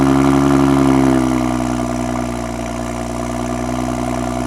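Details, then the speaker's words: 2012 BMW F30 335i, N55 inline-six, RWD, on jack stands, first cold start after VRSF catless downpipe install: raised droning idle drops to lower steady hum within a second; even, healthy normal cold start idle. "But for now, I want to do the first startup, see how it sounds, cold start, and go from there. So let's see how it sounds."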